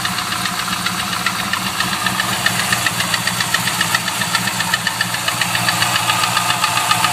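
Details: LS1 V8 at idle: sharp metallic knock roughly three to four a second, steady with engine speed; unknown internal noise, owner suspects gudgeon pin failure, not confirmed.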